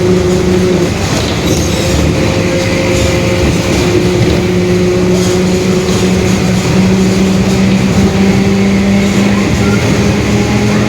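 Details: 2021 Marcopolo Torino S bus on a Mercedes-Benz OF-1721 Bluetec 5 chassis, recorded inside the moving bus: a steady low hum climbs slightly in pitch with road speed over the diesel, a growling differential.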